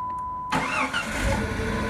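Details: 1997 Jeep Grand Cherokee 4.0 L with no-start, new PCM and crank sensor, after cam sensor replacement: short crank, catches cleanly and settles into a steady even idle; starting normally.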